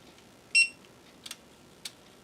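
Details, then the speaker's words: Amiga floppy drive after repair, including track 0 and stepper alignment: a short tone, then a few crisp single head-step clicks with quiet between them; the drive seeks and loads normally. "And it's loading. Ta-da!"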